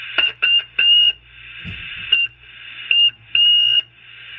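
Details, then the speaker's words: Taiwanese-made Cobra 148 GTL CB radio with high noise floor and squeal from odd mods; piercing high-pitched whistle in short bursts when a board area is touched; incorrect components later removed and faulty clarifier potentiometer found. "iderably so when I put my finger on it's that same high-pitched whistle so something's going on this area here"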